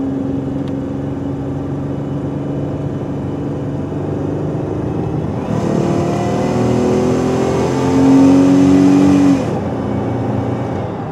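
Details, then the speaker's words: Buick 3.8 V6 under hard (about 3/4) throttle, diagnosed for surging and poor running: engine drone rises with a sharp exhaust hiss, suspected restricted exhaust; a P0420 code was also seen. "but when you're hammering on it you know you can really hear the exhaust hissing"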